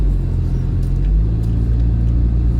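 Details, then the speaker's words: VW Golf Mk2 1.6, test drive after replacing the front wheel bearings: even low road rumble with no hum, growl or speed-related whirr; the bearings sound healthy and everything feels all right. "so everything feels all right anyway i would strongly recommend getting the steering geometry checked after doing a job like this as well"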